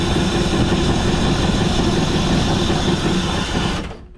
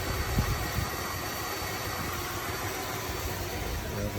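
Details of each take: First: 1978 Dodge Diplomat sat 18 years since 2007, Lean Burn ignition converted and timing set; rough, loud run only while gas is poured in directly, then sputters and cuts out; ignition confirmed fine, fuel supply fault, owner suspects plugged fuel filter. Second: 1978 Dodge Diplomat that sat since 2007, after Lean Burn ignition conversion: idling at 750 rpm with timing advanced 10°, earlier noise cured by plugging something; steady, even idle with a smooth low hum, no knocks or misses.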